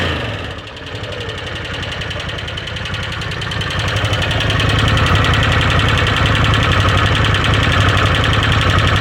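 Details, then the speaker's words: 2013 Arctic Cat Wildcat 1000 H.O. Limited idling in neutral with a steady tick, roughly three to four a second; owner thinks it comes from the rear top cylinder, or possibly the clutch. "Not as clutch, you can hear the tick. Not as loud over here. Sounds like it's coming from the back top cylinder."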